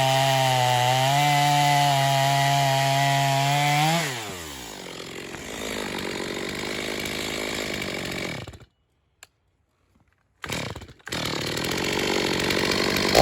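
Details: Stihl MS250 chainsaw test cut after a carb tuning job for not restarting when warm; tuned rich for break-in, possibly slightly low compression. Strong steady high buzz holds pitch through the cut, then drops to a clean idle. Healthy cutting under load.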